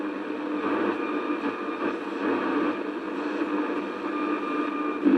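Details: Philips Model 148 tube radio, after a full set of replacement tubes and the fault that left it deaf was traced: a steady, even hiss of band noise with no crackle or dropouts. The receiver is picking up normally.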